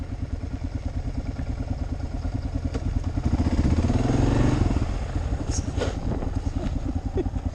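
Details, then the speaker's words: Kawasaki KLR riding on a gravel road: irregular creaky squeaks each time the front end compresses over bumps, over the single's steady thump. The owner has never heard it before and is unsure whether it is the front tire or the shock; it seems to come from the right side. "but it's when my everything compresses it squeaks and I've never had that before"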